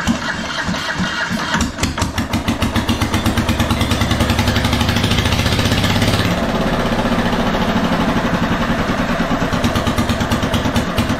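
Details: RamX hydraulic trench compactor with a transplanted military surplus small diesel fires after ether is sprayed over the intake, settling into fast, sharp, very loud exhaust pops with no exhaust or muffler fitted.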